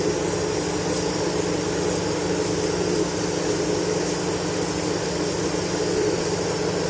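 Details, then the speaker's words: Chevy Tahoe with code P0128 and erratic coolant temperature sensor reading: constant airy radiator-fan whoosh with engine off, fan still running while the sensor is being replaced. "The fan is still running. So, I get to finish the job with the fan still running."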